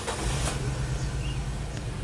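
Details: Nissan Grand Livina, four coils, two already replaced, at low idle: uneven lumpy stumbling thumps instead of a smooth hum, engine shaking; a dead ignition coil drops a cylinder, causing power loss, high fuel use and odd exhaust sound.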